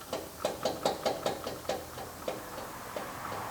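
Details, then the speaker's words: 2011 Subaru Outback with front-end vibration at 15–40 mph and clicking near walls: axle worked by hand gives sharp dry clicks, a few per second, slowing and fading; axle shaft suspected; clicking when axle moved. "I don't know if y'all can hear that, but that doesn't sound healthy."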